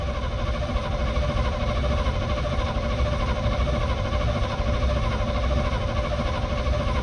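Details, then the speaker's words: Field-find truck on a temporary bottle fuel supply, cranked cold before first start: even, steady cranking with regular compression pulses, no knocks or grinding; over 45 psi oil pressure while cranking. Normal cold cranking. "So we were over 45 pounds of oil pressure cranking it cold."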